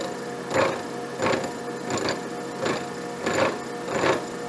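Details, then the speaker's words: Abene mill cutting the slot in a broach bushing about 220 thou deep with hand-sprayed coolant: loud chattering surges recur about every 0.75 s as the workpiece vibrates on loose hold-down bolts, which were then re-snugged. "got some serious vibration there [Music] all right to take two i had to snug those bolts again again [Music] thought i had them really tight but i didn't"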